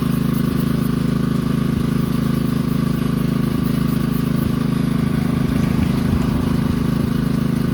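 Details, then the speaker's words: 2009 Kawasaki KLX140 dirt bike, sat about two years, jump-started with no battery, plastics still off; fired right up: even regular single-cylinder beat, holds steady without sputters or misses; runs pretty good, normal running. "it sounds like it runs pretty good though I just got to clean it up now put the Plastics on there and clean it up"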